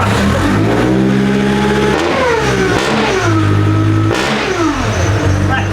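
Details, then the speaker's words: Nissan GU Patrol ZD30 diesel with Eaton M90 supercharger, revved from about 600 rpm idle: deep blaring exhaust swelling and falling through repeated revs, no muffling; open straight-through exhaust. "Does not sound like a diesel. Doesn't sound like a diesel."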